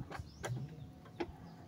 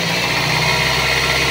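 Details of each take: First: Toyota Altis with noisy fan belt because the tensioner does not hold, noise loud in the morning and when revving, belt already replaced once: engine idles with a faint wavering chirping squeal, slipping belt from weak tensioner. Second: Toyota Altis after fixing noisy fan belt caused by a tensioner that would not hold, belt replaced: short, steady engine run with an even hum and no squeal or chirp, belt drive now quiet and normal.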